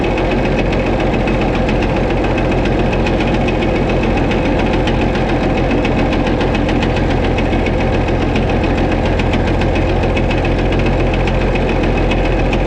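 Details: White 2-155 tractor, restarted: loud heavy engine with an uneven internal hammering knock about twice a second and a slight miss; blow-by, exhaust and oil pressure normal, cause unknown pending engine teardown.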